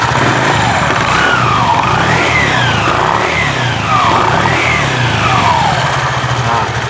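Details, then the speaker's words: Honda Vario 125 CVT, previously knocking, after repair with a used Beat carburetor-model pulley: revs rise and fall smoothly under throttle blips with a steady drive hum and no rattle or knock. "Lihat, bahkan dalam posisi ini, tidak ada suara berderak lagi. Meskipun ini menggunakan puli bekas."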